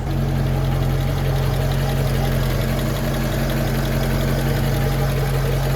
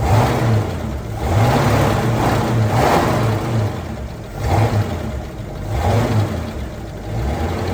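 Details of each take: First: Ford F150, after transmission service and front-end noise repair: smooth, even low idle with a steady beat and no knocks, misses or rattles; running nicely. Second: Ford F150 being revved: a light jingly metallic rattle over the exhaust note, somewhere in the exhaust. The source is not found yet; the suspected parts were checked and are tight.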